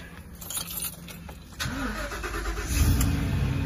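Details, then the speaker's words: Truck that would not start, now started with the fuel pump run directly, bypassing the inoperable fuel pump control module: a brief crank, then a steady low idle with no misses and RPM up; a normal start. "and as you can hear the truck is now started you can see the rpm's up"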